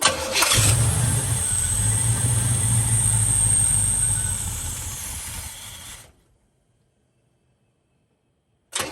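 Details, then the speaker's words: 1978 Trans Am, 455 Olds big-block V8 with Quadrajet carburetor, cold start to set the fast idle: cranks, catches at once and holds a strong raised, even fast idle that eases slightly; the choke is working properly. "yeah i guess we'll crank it up and let it warm up see if it opens the only the only way to adjust a fast idle is to do it while it's cold"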